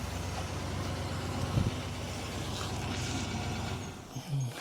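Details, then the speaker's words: Barracuda restart after fixing an annoying top-end tick, with new water pump and bypass fitted: smooth, even idle with a low steady rumble and no ticking; runs like a Swiss watch. "Start it up and see if we've got corrected it. Beautiful. Look at that. Running like a Swiss watch."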